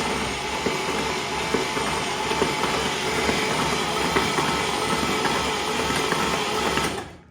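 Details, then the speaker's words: 1960s International Scout 800 Aristocrat engine, just freed from being seized, cranked with the spark plugs out and leftover material blowing from the cylinders: steady free-spinning whir with no compression pulses and no knocks; it turns over freely. "Now, and there's no spark plugs in it, so we're getting no compression whatsoever."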